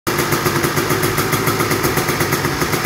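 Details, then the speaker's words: Honda TRX250R two-stroke quad, first start after full frame-off restoration with an aftermarket Chinese carburetor; crisp, fast, even popping idle with no misfires. "first startup. Should be running pretty good."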